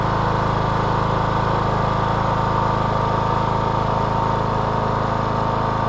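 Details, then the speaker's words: 2014 Troy-Bilt Bronco, Kohler 17 HP Command, with new carburetor and throttle/choke cable adjusted: steady, even idle with a smooth regular beat, no misses or knocks; running healthy. "This mower sounds really good. Kohler 17 command."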